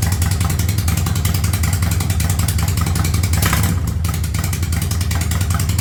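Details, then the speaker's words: 1985 Yamaha Virago barn find after single-carb conversion with DIY intake manifold, first start, not yet at operating temperature: steady, even V-twin putter at about 1000 rpm idle, no misses or knocks; engine running healthy. "well she's up she runs she sounds good I got her dialed in at about a th000 RPMs"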